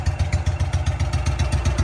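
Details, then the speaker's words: Trav-L-Vac 300 gas-powered utility box vacuum after new manufacturer filters were fitted, idling with air exhausting from the blower outlet: a steady, even low putter with blower air rushing. Engine sounds healthy at idle. "And this is the air outgoing. Idle right now, so that's air outgoing out of the blower."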